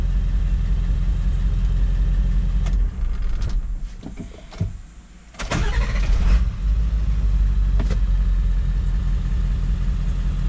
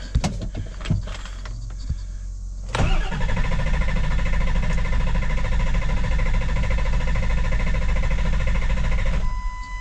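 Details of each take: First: 7.3 Powerstroke diesel, hot restart after about 10 miles and fully up to temperature, following an injection pressure regulator valve replacement for a hot no-start: cranks briefly, fires right up and settles to a steady, even idle clatter; normal. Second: 7.3 Powerstroke diesel with a hot no-start, cranking after installing a new injection pressure regulator valve: steady starter churn for about six seconds, reaching about 2000 on the gauge, and it tries but never fires; crank, no start.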